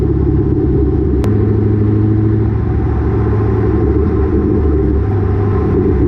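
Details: Exhaust heard from a GoPro under the car while driving, after a header-wrap fix for exhaust banging on the axle caused by lowered rear coilovers: steady low rumble with road noise, no banging or thudding; normal exhaust, no rattle.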